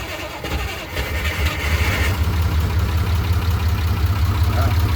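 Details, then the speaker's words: Unimog, long sitting, started on jumper with one battery charged and the other likely dead. Cranks and catches with a pop or two, then settles into a low, uneven idle. Starts nicely but gives a little backfire; owner unsure whether the alternator is charging. "Yeah, that starts actually pretty nice. Yeah, there goes that little backfire."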